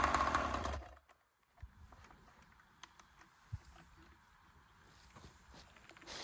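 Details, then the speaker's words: Joncutter 5800 chainsaw running on alcohol fuel screams at full revs for under a second, then cuts out abruptly and goes quiet. The tank is empty, so the engine ran out of fuel. "She ain't got no gas in it."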